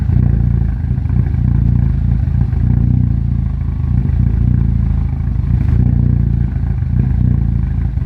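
Low, lumpy idle with an uneven beat and some clatter riding on top; the engine is running rough, cause not clear.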